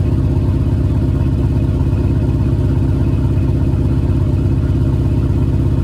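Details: Engine with JBA shorty headers and stock exhaust, cold start after an exhaust leak was fixed. Steady deep exhaust pulse at fast cold idle, even beat, no ticking or puffing: normal cold-start exhaust, leak sealed.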